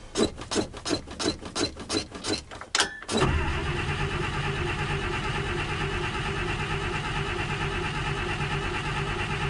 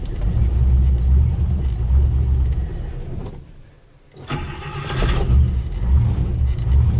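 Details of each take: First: 1956 Buick barn find, 322 Nailhead V8 with carburetor, first start attempt with fresh battery: starter cranks in steady pulses, about three a second, without firing; fuel pump not delivering, carburetor not squirting fuel, possibly empty or clogged tank. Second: 1956 Buick 322 Nailhead V8 barn find, first start with fuel pump plugged in. Low, soft, even rumble with a steady beat and no knocks or ticks; carburetor may not be fully happy, but it idles quietly and smoothly.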